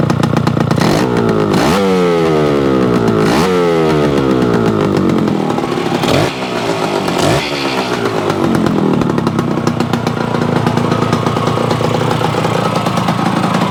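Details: Yamaha AT-1 converted to CT-1 two-stroke, first start after rebuild with wiring done, oil pump primed, carburetor problems fixed, choke on, pre-mix plus oil pump: crisp buzz climbing and dropping cleanly through throttle blips, no misses or rattles; normal running.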